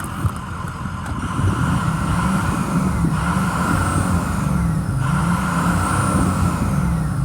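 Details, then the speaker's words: 2006 Ford E-450 Super Duty Blue Bird Handy Bus, 6.0 L diesel, needed starting fluid, starter possibly faulty; revs cleanly and holds steady with no knocks or rattles; check engine light on; normal revving. "let me wrap it up for you so you can hear it sounds really good"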